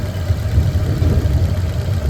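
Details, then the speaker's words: 2021 Maruti Suzuki Dzire petrol/CNG, cold morning start with slightly high rpm dropping: low uneven idle that stumbles and pulses with engine vibration; cylinder 2 misfire (P0302, P0300, P0171), ECM suspected faulty. "Vibration तो है engine के अंदर। Vibrate हो रहा है। थोड़ा सा engine high है।"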